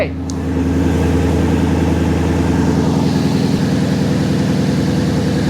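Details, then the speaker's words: Ford Mustang GT with a new serpentine belt tensioner and pulley fitted: steady, even idle with a smooth low beat and no squeal, chirp or rattle from the belt side; normal idle. "Chill, bro. listen to that sucker perk."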